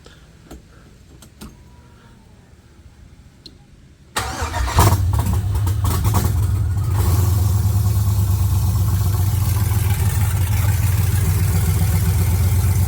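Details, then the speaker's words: 1979 Camaro LS-swapped V8, long-sat engine, intake retightened for suspected vacuum leak, single 5-pin setup: start catches after four seconds, then lumpy, shaky idle; owner suspects coil pack, Amazon MAF or vacuum leak, unconfirmed. "It is not running great. I wonder if it's just maybe you got a bad coil pack or something."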